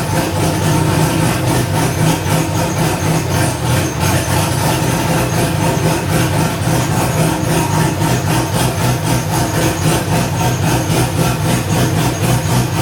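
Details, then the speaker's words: First start of a newly LS-swapped, cammed wide-body C4 Corvette (turbo build, stainless exhaust, no cat): loud, choppy V8 idle with a steady lope of about 3–4 beats per second and no knocks or misses. The air-fuel ratio is about 13.5; it runs healthy. "Oh yeah, everything's fucking running fine. Air fuel ratio is up 13 and a half."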